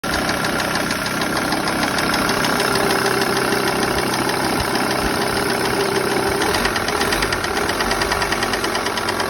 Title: Lt 35 2.5 ticking noise